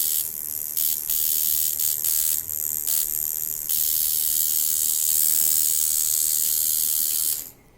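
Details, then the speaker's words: Coil tattoo machine at around 4 volts: a harsh, raspy, strong high buzz with no smooth hum underneath; the machine is out of tune. "so see that it's out of tune the minute i change the angle that sounds different the sound is very very harsh and it's actually quite strong the hit is really strong"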